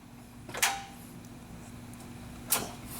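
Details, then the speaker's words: 2008 Chevy Silverado 5.3L with a previously replaced starter, battery near 11 volts, key to start: two sharp clicks about two seconds apart, then nothing. Starter clicks but the engine does not crank. "go ahead and turn it to the start position you can hear it click pretty good the and then unclick"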